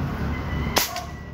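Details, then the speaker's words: Armscor CO2 airgun after tank/barrel offset work, test firing: one clean, sharp crack with short tail, no double report or rattle; normal single shot, hitting well. "Okay ayos ayos pang tumama so yan sir okay na yung arm score mo hindi na siya yung Kala mo y dira rat"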